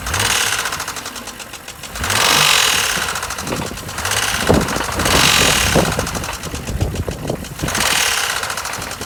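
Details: 2007 BMW X3 N52 inline-six idling with an irregular knock mixed into the run, loudness swelling and fading every couple of seconds; owner suspects rod knock, unconfirmed; engine knocking.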